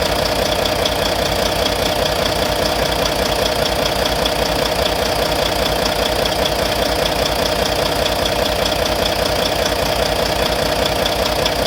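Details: Volvo VNL D13 diesel idling after injector replacement; sharp regular tapping about two and a half per second over steady idle; owner suspects lifter noise, source unconfirmed.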